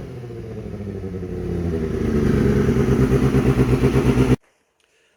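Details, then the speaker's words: Kawasaki ZX6R streetfighter build after a fuel pump fix, exhaust heard on startup: throaty four-cylinder idle building into crisp even revs that climb smoothly and cut off clean; healthy. "what she sounds like absolutely amazing"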